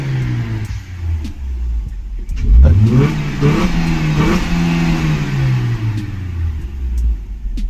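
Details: Maruti Suzuki Ertiga factory-CNG running on CNG after new spark plugs and coils fixed a misfire: the engine idles steadily, revs up cleanly, holds, then settles back with no stumble, normal smooth revving.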